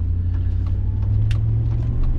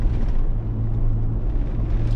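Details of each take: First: Chevy Tahoe driving after front differential rebuild and both front hubs replaced: smooth, even low drivetrain rumble with no hum, growl or clunk from the front end; running healthy. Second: Chevy Tahoe driving off the gas after front differential rebuild: steady low whir changing with speed under road rumble, no quieter or louder than before; the worn front wheel hub bearing, not the diff.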